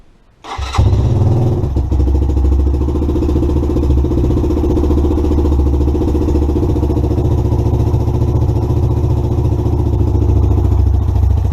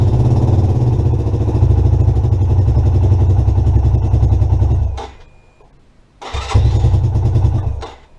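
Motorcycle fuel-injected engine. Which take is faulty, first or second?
second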